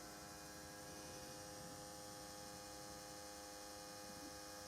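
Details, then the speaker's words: Porsche 912-6 switched on after a new stainless fuel line was fitted: a faint, steady electric hum as the fuel pump circulates fuel through the injector rails, with no leaks. The pump sounds normal. "can hear things going fuel circulating even here in the injector rails we get fuel flowing around but it's not leaking i can hear it moving though"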